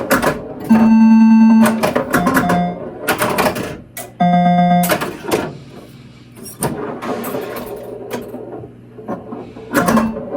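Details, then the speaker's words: Bally -35 sound board in a Lost World pinball machine, after a Big Daddy rebuild kit install, set to alternate sounds, spinner being hit: clean tones and effects between playfield clatter, no buzz or crackle; normal sound board output. "Okay, well, I think that sounds pretty good."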